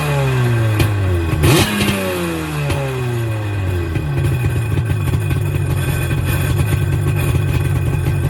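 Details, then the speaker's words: 1996 Tigershark jet ski two-stroke, formerly non-running, cold, first start on its own fuel with new gas and reconnected fuel lines: cranks, catches with rising revs, settles into a steady, even burble; normal running. "Yeah, runs good. About ready for water."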